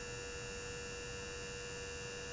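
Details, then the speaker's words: Zenith 4-B-231 radio's synchronous vibrator on a DC power supply: a steady, even buzzing hum with a fixed tone and no dropouts, so the vibrator is running normally. It has an intermittent fault, shutting down about every five minutes until the can is tapped. "let me go ahead and get the DC power supply hooked up here and you should hear the vibrator here start"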